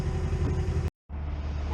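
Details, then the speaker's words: 1992 Mazda truck with rebuilt motor and camper, driving from Durango in snow: deep heavy drone and low rumble throughout; exhaust super loud, needs replacing. "the exhaust is super loud on this truck"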